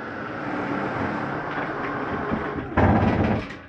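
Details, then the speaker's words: 2018 Forest River Ultra V 2618 RV slide-out retracting: steady electric motor drone, then a brief louder rattling burst as the slide reaches full retraction, normal end-of-travel noise, not grinding. "that noise because it's okay to hear for just a second it's just a slide mechanism saying i'm all the way in it's nothing grinding don't panic when you hear it"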